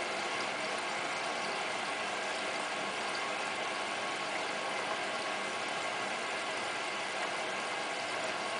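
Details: Hotpoint Ultima WT960 washing machine on a 60° cottons test wash with a 7 kg load, early in the cycle as heating kicks in: steady, even whooshing and whir from the turning drum, with no knocks, scraping or grinding. Normal tumble.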